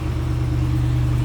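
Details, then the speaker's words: 2021 Ram 2500 Tradesman 4x4 with 6.4-liter Hemi, heard from the rear at the tailpipe with a stock exhaust; deep, steady low rumble with an even idle beat, no misses or rattles: normal idle. "Slip around the back so you can hear it run. Nothing crazy as far as exhaust goes. Nothing over the top there."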